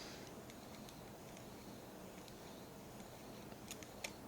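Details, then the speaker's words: 35mm SLR film being hand-rewound with the lid closed: soft ratcheting ticks, then sharper clicks as the leader snaps off the spindle and tension releases; normal film leader release during rewind. "There it is. I felt the tension release, and now it's going to be much easier for me to rewind."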